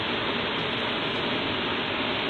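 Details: 2013 Jeep blower motor, 50k miles and 5 years old, removed and run on the bench drawing 15 amps: loud, even hiss across the speed range, no clear tick or grind; no debris found, cause unknown.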